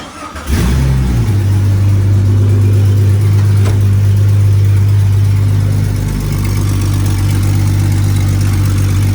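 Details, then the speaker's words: 1999 Jeep Cherokee XJ running with no exhaust system, warming up to test a replacement electric cooling fan: the engine catches and settles into a very loud, deep, open rumble, idling a little high. "it's working i don't know if you can hear me it's so damn loud and we're getting up the temp"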